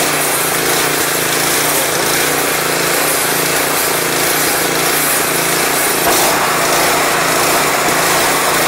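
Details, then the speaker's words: Craftsman 179cc 22-inch snowblower (PowerMore engine) with old gas replaced by fresh gas and Seafoam, run off choke: engine surges, its buzz rising and falling unevenly; suspected clogged carburetor main jet. "One of the the chances are if we take it off choking, it's going to stay running? Or surge? Let's say very likely. Surprise."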